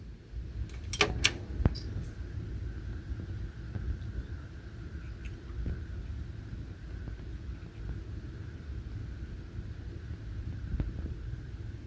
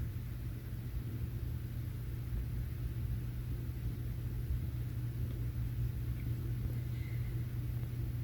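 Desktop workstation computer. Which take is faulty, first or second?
first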